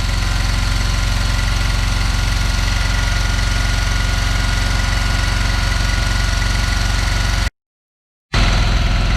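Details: 1974 Dodge W200 318 V8, water then ATF fed into the carburetor: uneven, lumpy idle with knock-like tapping about three times a second over the rumble; rough running with knocking, cause unclear.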